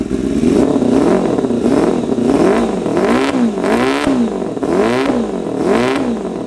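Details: 1988 Kawasaki ZXR250 road bike, first start of rebuild project: repeated throttle blips about once a second, revs rising and falling with ragged edges; running ridiculously rich, shooting flames, idle mixture found 3.5 turns out.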